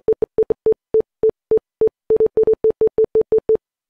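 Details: Windows 11 PC beeping when opening or installing programs, since a new boot drive was fitted: clean mid-pitched Morse-like beeps in short and long groups, about three a second; cause unknown.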